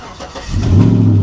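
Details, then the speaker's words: GM V8 with a dead battery (7.9 V), jump-started: it cranks briefly, catches and settles into a steady, deep, even idle; healthy start. The alternator then charges at 14 V. "Oh. Oh, yeah. Oh, I like that. Okay, this sounds nice."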